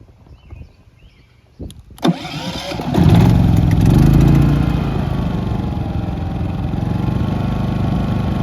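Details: New Westinghouse iGen4500 generator after about a week of use, startup after first oil change and topping up slightly low oil: a few cranks, catches at about two seconds, settles into a steady even hum. Normal startup and run.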